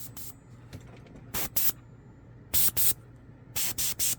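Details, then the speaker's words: Airbrush just repaired with a replacement air valve and a quick-release fitted on the hose: short, crisp bursts of air hiss on the trigger with clean silence between them. The valve seals properly; as good as new. "15 bucks whatever it was on prime it showed up overnight my airbrush is as good as new it looks new now it is as good as new"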